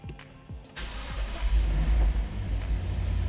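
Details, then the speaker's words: Wrecked Lexus RC-F under rebuild, first start after teardown, in park with the parking brake on: a few quick cranks, then it catches and settles into an even, deep idle; a clean, good startup. "it works startup was good the car runs"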